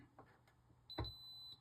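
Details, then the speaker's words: Arabian arcade game board during power-supply repair: a single high continuity beep of about half a second while probing; two traces shorted by a tiny speck of solder, possibly from the probe. "Are those two traces touching each other? There's a piece of solder between them. There's a piece of solder between those two traces."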